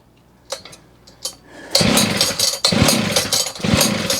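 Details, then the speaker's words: John Deere 550CS chainsaw after maintenance and reassembly with a modified handle, cylinder cover off: a couple of pulls, then it catches and runs ragged, surging and sputtering; hard starting with a fuel smell, and flooding is suspected. "Now, did it try to fire and I didn't hear it? I smell fuel. God, did I flood it already? I don't think so."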